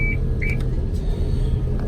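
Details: Older Tadano 100-ton crane during outrigger setup, beam controls being operated: two short high beeps about half a second apart over a low diesel rumble; outrigger control warning sounding.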